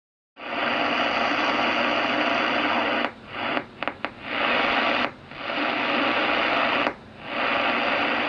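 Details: HF radio picking up harsh static with irregular snaps and dropouts across several bands; later traced to an old aluminum wire loose in an outlet's back-stab connector, arcing until it burned through; outlet replaced, snaps gone.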